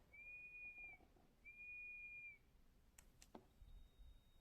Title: Pamu headphones sound problem [weird noise from case] 😳